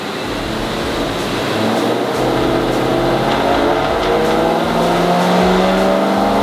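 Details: Supercharged BMW E92 M3 V8, base tune, after tightening the earth linked to misfires on the other bank: steady climbing note at full throttle to the redline, even with no breakup; runs perfectly, fault fixed.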